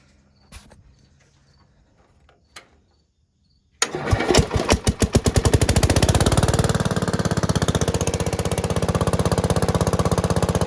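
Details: Bush Hog HD12 tractor single-cylinder revived after freeing stuck-open exhaust valve with Kroil, carb varnish cleaned, new fuel filter and battery, choke disconnected, throttle cable freed: starter catches, brief stumble, then steady even run.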